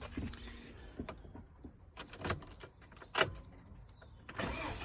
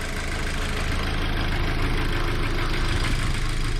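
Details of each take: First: VW Golf GTI Edition 30 at morning cold start: scattered sharp clicks, then it cranks and catches into a loud, rough, uneven run; cause unknown, and the owner fears it needs a full rebuild or has a blocked oil pickup. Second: VW Golf GTI Edition 30 at idle: smooth, steady hum with an even beat and no tapping or stumbles, the engine sounding normal at rest.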